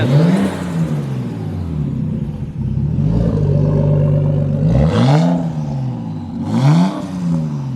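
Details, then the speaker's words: Nissan Skyline R33 RB25DET, first start after rebuild, with the MAP sensor plugged back in: smooth rise and fall on each throttle blip and a steady idle between, with no knocks or misses; normal revving, sounding much better. "Sounds heaps better. Heaps better."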